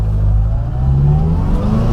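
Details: 1964 Morris Mini Cooper S 1071cc with a three-synchro four-speed close-ratio Cooper S gearbox, no first-gear synchro; it pulls away smoothly from a stop in first, with no crunch or grinding.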